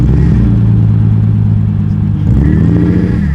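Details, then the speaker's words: E46 BMW 330i, bought new in 2001, reshelled/swapped to full E46 M3 engine; loud droning whine over revving engine climbing with revs, attributed to the power steering pump, possibly run dry by previous wrecker; suspected, not confirmed. "All you hear is the power steering pump. It's a little too loud. Yeah, it is."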